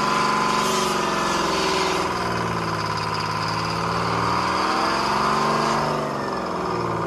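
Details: 1970s Crane Carrier truck, Detroit 6-71 two-stroke diesel, after freeing four stuck injectors and the rack, started without ether: even throaty idle about 220 beats a minute, steady pitch; running cleanly.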